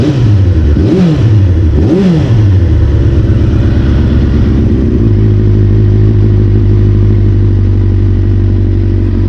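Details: 1992 Kawasaki ZXR400 L2, sat for years, after new carb mixture screws and O-rings: two quick clean throttle blips, then steady even idle with no stumble; runs perfectly.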